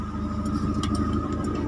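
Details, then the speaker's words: Timor DOHC (Kia Sephia S515i) injected engine after a jammed starter motor was removed, repaired and refitted: car starts and settles into a steady, even idle with a regular low pulse, no knocks or stumbles; starter fixed. "Oke berarti berhasil ya teman-teman nah starter sudah hidup dengan sempurna"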